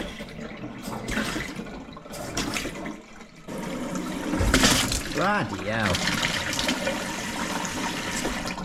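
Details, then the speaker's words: After replacing the stop tap and fitting a whole-house shock arrestor on the cold water pipe: water fills steadily with no bangs or thuds, the long-standing water hammer gone. "more banging though. Nothing. Oh, that's sweet."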